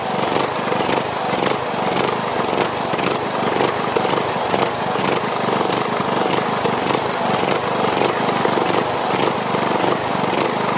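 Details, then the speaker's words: Briggs & Stratton Platinum 21hp mower engine, once repaired for camshaft problems, just restarted with fresh oil and gas: speed rising and falling about twice a second, hunting idle; surging, owner suspects carburetor needs cleaning. "sounds like the carburetor is it's pulsing so it sounds like the carburetor needs to be cleaned"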